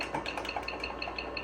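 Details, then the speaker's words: Vintage Zenith 286 PC with 1 MB RAM, keyboard typed on: quick light ticks several times a second, one per keypress, over faint room hiss. It is the keyboard's built-in fake clicker working normally. "Oh, this keyboard's got a clicker in it. Listen to this. That's got a fake click sound."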